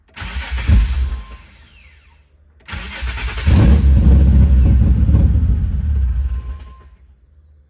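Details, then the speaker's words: 2005 Nissan 350Z, 69k miles, with an unfinished VQ35HR swap and unlocked ECU, during electrical diagnosis. Brief crank catches, then it fires unexpectedly and runs roughly about four seconds before dying. "Man, I've been diagnosing electrically for like 2 hours and this car just gave me a miniature heart attack cuz it fired out of nowhere."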